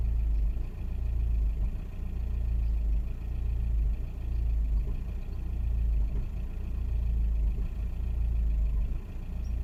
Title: 2001 VW Passat 1.9TDi misfire